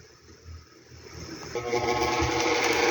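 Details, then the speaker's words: Arno fan: buzzing mechanical chatter builds as it spins up, caused by end play in the motor shaft; fixed with a little electrical tape on the shaft. "Ó o barulho pensando que que é motor, ó. Só eles tem folga. Só coloquei um pouquinho de fita isolante no eixo, empurrei a ele se acabou seu estó."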